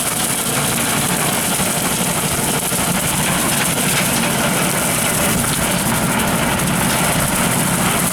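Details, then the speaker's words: Tractor at 1500 rpm with a Woods 15 ft brush hog cutting golf course grass, taking a wide turn with no stress on the vertical drive. Steady, even deep rumble at constant revs, no knocking or strain. Normal brush hog running. "you don't hear the rumbling of the turn there's no stress on that that vertical pulse right there that's what we're trying to protect"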